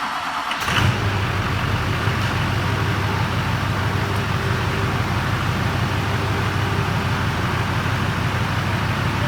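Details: Duramax diesel truck after a ZF6 transmission swap, restarted once a rubbing fan that caused an earlier horrible grinding startup was fixed. Quick crank, then a steady diesel clatter at idle with no scraping or grinding. Normal startup and idle.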